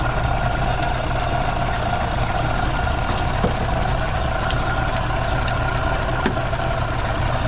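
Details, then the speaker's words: 1932 Ford Model B five-window coupe warming up after exhaust/intake manifold gasket replacement (cracked exhaust manifold), bolts retorqued to about 30 ft-lb: steady, even low idle, no hiss, ticking or hunting; no vacuum leaks, running pretty good. "all right well it sounds like it doesn't have any vacuum leaks it's running pretty good"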